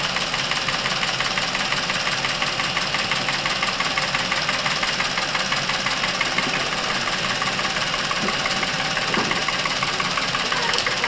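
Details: Chevrolet Epica over 200,000 km, warmed to operating temperature with fresh oil and Dimexide added at 100 g per litre: sharp, rapid top-end ticking steady with engine speed, quieting as oil circulates; noisy hydraulic lifters and camshafts from oil starvation.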